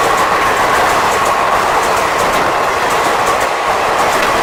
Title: WAP 7 Locomotives producing creaking sound